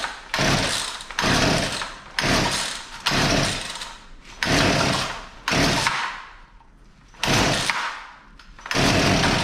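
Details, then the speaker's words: Poulan Pro P3416 34cc chainsaw with a new Champion spark plug, retrieved from an abandoned building: the engine catches in short bursts, flaring then sagging and nearly dying. It seems to be running too rich; a carburetor screw is being adjusted. "well it wants to run i think it's actually getting a little too much fuel here so right here we're going to turn that hyper screw in just seems to be getting choked out"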